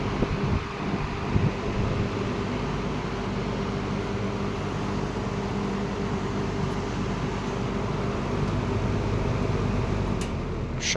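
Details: Late-1960s McGraw-Edison Eskimo 3-speed all-metal box fan on 120 V, running on high at 2.65 A: steady low whoosh of moving air with a faint even hum, no ticking or rubbing; runs smoothly and healthy.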